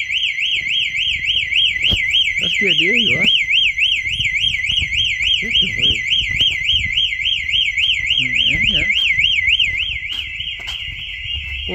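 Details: Home alarm tested at night by opening the back door, fitted with a hidden magnet sensor. High warbling siren sweeps rapidly and continuously right after the door opens; security alarm sounding normally.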